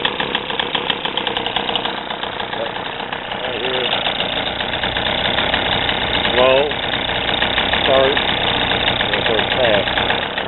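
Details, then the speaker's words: 3 hp two-stroke sailboat outboard after carb repair (fuel filter, float piece riveted), run with water, no neutral so prop always turns: buzzes at low idle, picks up with throttle, not wide open; even, no misses or knocks, normal. "Take the throttle good. Sounds good to me, but guys, we can all be having a little fun with it."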